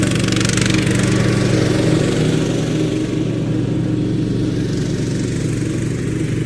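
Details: Craftsman LT2000 lawn tractor revived after sitting about 6-8 years, new deck belt: single-cylinder engine running strong and even at steady speed, firm regular exhaust beat, no misfires or knocking.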